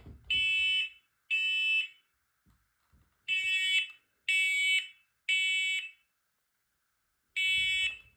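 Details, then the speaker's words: Detector tested on August 2: loud high-pitched beeps in about half-second bursts with uneven gaps; alarm sounding normally, works. "If it doesn't really work, then if this detector really failed us last time, so I think it might fail it again. Okay, it works. Okay, it works."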